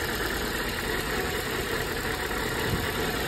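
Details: Nissan Sentra ECCS, earlier crank-no-start, now running after fuel line pressure was relieved: uneven idle with irregular stumble under engine hum; idle misfiring.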